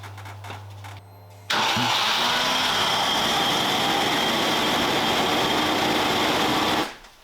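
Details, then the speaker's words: Range Rover Classic V8 cranks, catches and settles into a smooth even idle with no hunting after the faulty idle control stepper motor was disconnected; the rough up-and-down idle was traced to it, and a replacement is fitted. "so it's uh definitely that one I have a replacement one"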